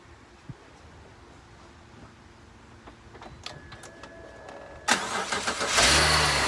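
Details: BMW X3 E83 after oil leak repair; quiet ticking then starter catches into steady strong idle, runs and sounds good. Normal engine start.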